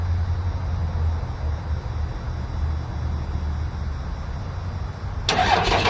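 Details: Turbo diesel truck idling, exhaust coming from the turbo, somewhat smoky; steady low even diesel clatter with no knocks or misses, then a sharp clatter at the end; normal diesel idle.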